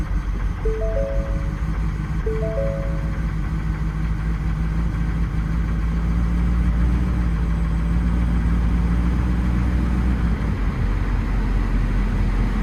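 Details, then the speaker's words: 2019 Ford FX4 long-bed diesel truck with high mileage, at auction: deep, steady diesel clatter settling into even low idle, no knocks or misses; normal healthy diesel idle. "Oh, it's a diesel, also. You want to hear how the diesel sounds? All right, here we go."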